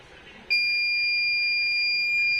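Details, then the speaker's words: V-Guard Big Jadoo 1050 inverter hums on battery, then trips to overload: a sharp high alarm tone cuts in abruptly and holds steady. Technician suspects a gate problem. "Humming न आ रहा है फिर overload में जा रहा है आपका humming नज आ रहा है तो मतलब गेट में कुछ प्रॉब्लम होगा"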